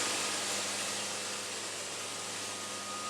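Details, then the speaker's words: Sawmill cutting a wide board in pattern mode after a small band alignment adjustment: steady, high hiss of the blade through the wood, even and smooth with no chatter or surging, band singing and cutting cleanly. "So basically I hit return, pattern mode. Oh, got the band singing."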